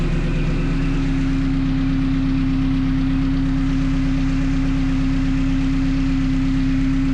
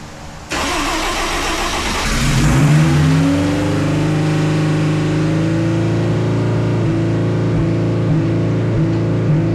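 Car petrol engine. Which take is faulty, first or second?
second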